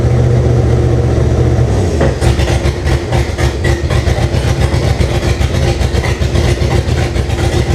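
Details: First start of a 1998 Jeep Cherokee with a swapped 2005 5.3 LM7 V8 (706 heads, LS1 intake, 4L60E): catches after a couple of seconds and chugs with an uneven, loping idle; rough running, cause not yet pinned down.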